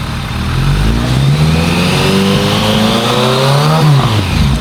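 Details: Warmed-up 2001 ZRX1200R, CVK carbs, pilot screws 2 5/8 turns (factory 2 1/4, lean), idle lowered, phone-recorded: clean rise and fall as throttle is blipped, returning to steady idle without stumble. Normal idle and revving.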